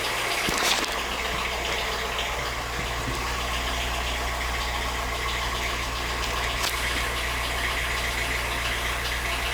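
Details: 2010 VW Fox running on ethanol (alcohol), idling on the scan tool, throttle body reading somewhat high at 13.3; steady, even idle with a low smooth drone and no misses, knocks or hunting; normal idle.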